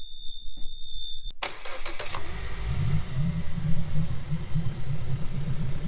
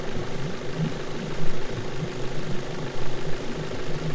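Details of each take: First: Suzuki DF70A four-stroke outboard started after a warning beep, settling into a lumpy, shaking idle from a consistent misfire; shakes more when revved; spark plugs suspected as the cause, an inexpensive fix. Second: Suzuki DF70A four-stroke outboard idling after an inexpensive misfire repair; steady low rumble firing evenly on all cylinders, no more misfire.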